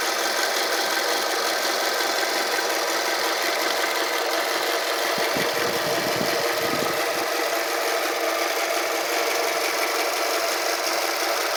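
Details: 2005 Toyota RAV4 idling warm after running 10 minutes: fast, uneven ticking rattle, roughly three per second, over a steady hum; moving the camera around did not locate the source, cause unknown.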